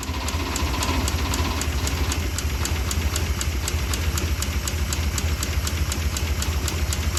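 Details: 1959 DeSoto junkyard car after replacing burnt, pitted points, long sitting and smoking: sharp regular ticking about four times a second over rough low idle; owners suspect a dropped valve after a loud snap in valve cover, unconfirmed.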